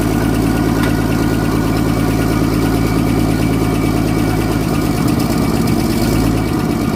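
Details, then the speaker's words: 1964 Holden EH ute six-cylinder, cold, first start after fuel pump diaphragm work, helped with starting spray: a steady low idle rumble with no missing beats. It is running on all cylinders, oil and charge lights out. "Sounds like she's running on all cylinders, which is great news."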